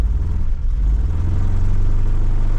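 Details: 1992 Cavalier Diplomat, pre-facelift, being returned to the road after three-plus years. A low rumble with a slightly uneven beat just after a hard start; not running quite right, and the owner suspects it needs a head gasket.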